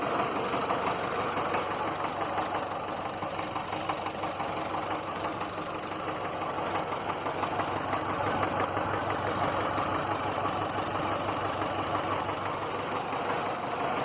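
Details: Land Rover Series 2a 88 2.25 diesel, start after glow plugs, lots of blue smoke, idling: regular knock every few turns with misfiring; owner suspects an injector, possibly a valve, cause unclear.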